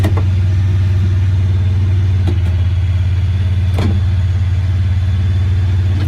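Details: 2017 Honda Pioneer 1000-5: fast idle with a loping, uneven beat and occasional stumbles; code 9-2 (IACT). Cause: factory over-crimped wires broken inside insulation at the IACV plug on the throttle body under the air box; fixed by replacing the plug and re-crimping.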